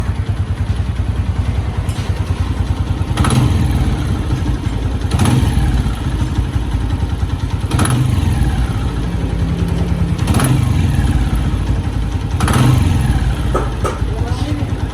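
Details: Honda 125 motorcycle engine chugging at low revs with a heavy thud every couple of seconds; the knocking and stumbling is said to happen when the petrol runs out.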